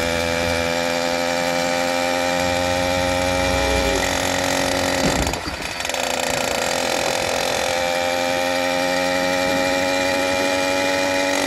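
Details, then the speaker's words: New F-Zero A301 motorized bicycle, brand-new two-stroke engine on its first start: even, buzzy drone at a steady pitch with one brief dip that recovers cleanly; runs pretty good so far; normal running. "[Applause] thing runs pretty good so far"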